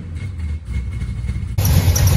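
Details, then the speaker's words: 1967 Dodge Charger with a newly rebuilt 383 big block V8, running after a Holley float level adjustment; it isn't charging: low, uneven idle that sags and surges toward stalling, then catches; rough running, cause unclear. "hey funny story this thing basically does doesn't charge also it's trying to die why are you trying to die quit it"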